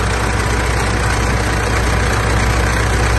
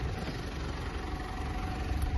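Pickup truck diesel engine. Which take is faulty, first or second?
first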